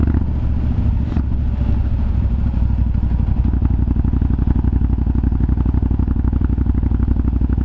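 Big twin thumping along with a rapid, uneven crackle of pops, about four a second, over the steady exhaust beat; exhaust popping, cause unclear.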